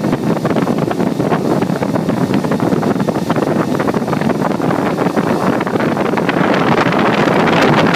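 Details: Four Delta AFC0912DE 9 cm fans running at 6000 RPM: a loud, steady rushing airflow roar with no knocks or rattles, building slightly toward the end; normal running.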